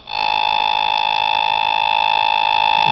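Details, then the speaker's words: Bedini SSG circuit with a magnetically stabilized spinning top, tilted to trigger better, over a trifilar Bedini coil: steady high whine with quick even pulsing three or four times a second; coil firing normally, charging a battery. "that's the coil firing inside that's the little led that shows the firing on the third winding of the bedini coil"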